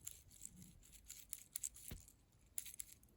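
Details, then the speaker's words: Old Porsche 986 Boxster headlight switch, removed and shaken by hand: loose sandy rattle with light clicks from broken internal plastic bits; a new switch makes no sound. "and you can hear all the plastic inside is broken apart sounds like a bunch of sand in there"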